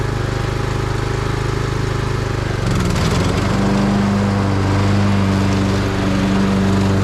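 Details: Craftsman YT3000 riding mower single-cylinder engine on a test run after replacing tie rods, a drag link, the leaking valve cover gasket and the deck belt. It runs even, revs up cleanly and holds a smooth steady beat with no misses or knocks: healthy running.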